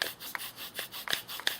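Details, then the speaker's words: Small nano bow drill on a hot, humid July day: dry rasping strokes about three a second, no squeak; sound changes and smoke appears as the spindle breaks through the hearth's glaze, grinding normally. "so i have to break through this there we go we're breaking through you can hear the sound change there's smoke to break through that glaze"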